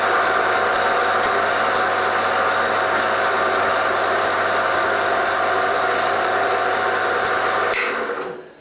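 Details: Chinese bandsaw after cleaning and refitting parts, slight play noted in the bottom drive pulley bearing (to be replaced later): even, steady hum and whir with no knocks or rubbing, then smooth coast-down; runs normally.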